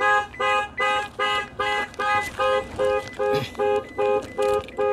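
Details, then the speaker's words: Cheap UK-auction Jaguar XK8 V8 unlocked by remote central locking: about a dozen sharp, evenly spaced two-tone alarm beeps, roughly two per second; battery still has some charge. "will it work on this remote Central locking we didn't bring a jump pack did we oh it's beeping so it must have some battery power"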